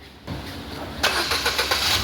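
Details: Ford Figo after repair of knocking at idle with AC on, caused by water in the ignition coils/plug wells, with injectors and throttle body serviced: engine cranks and catches cleanly, settling without knocking.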